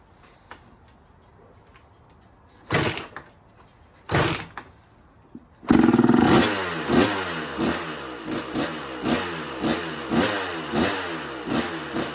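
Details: 1986 Kawasaki KX125 two-stroke with spark regained and a clean carb, run without choke as the idle screw is turned up. It catches and blips with sharp uneven pops, then sags and won't idle off throttle. Cause suspected, not confirmed.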